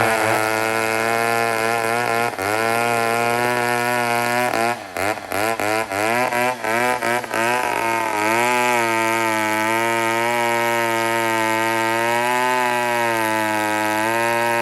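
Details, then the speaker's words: Old 150 chainsaw made in Toronto, Canada, after carburetor work, cutting a log with a short bar: high two-stroke scream dips and wavers as the chain bites, recovers cleanly; cuts well, normal. "it's gonna stall so this is good there it goes so it cut deadly i almost feel like throwing a longer bar on it"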